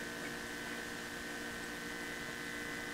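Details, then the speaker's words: Mazda BT-50 diesel after fuel filter replacement, recorded near the tank: steady electric hum for three seconds then clean cutoff, possible gurgles as air passes; normal fuel pump priming. "I'll hook you up near the tank so you can hear it priming. You may hear some gurgles as well as some air passes through."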